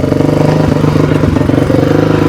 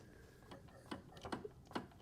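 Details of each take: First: 2002 Honda CRF450R after repair, running: loud raw single-cylinder bark rising and falling crisply with throttle, returning to steady idle; super loud exhaust but healthy. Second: 2002 Honda CRF450R, bought non-running, engine turned slowly by hand: few sharp irregular ticks; owner suspects something on the clutch side, unconfirmed.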